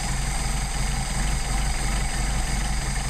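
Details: Mercedes 190SL with rebuilt replacement Solex carburetors, linkage disconnected, each carb adjusted individually via idle mixture screw after backing idle off; low, even idle with steady pulse, no dips or hiccups; normal idle, mixture set right.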